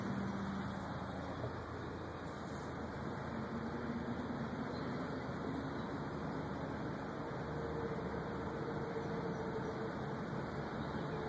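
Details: 2004 Acura TSX driving: steady road noise with a few sharp, isolated front-end clunks, present for a year despite replaced axles, ball joints, stabilizer links and lower control arms.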